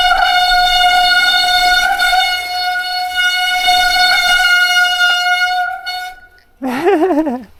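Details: Newly acquired replacement bike on first trail ride: loud steady honking tone held about six seconds as brake drags, then fading; rider says brakes are very bad, noise needs sorting; brake cable catches on pedal.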